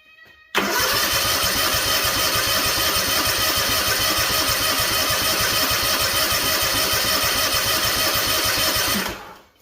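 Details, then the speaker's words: Freshly rebuilt Kawasaki FR730V in a Cub Cadet SX60, fuel shut off, cranking to build oil pressure; fast, even starter churn about nine seconds, no catch, drag or skipped beats, sounds good turning over. Normal cranking. "So this should build oil pressure pretty quick. And I think I'm just gonna do this again. Now the fuel pump should be pumping fuel, so when I do turn that on, it should fly through to the carburetor quick. Sounds good turning over, doesn't it?"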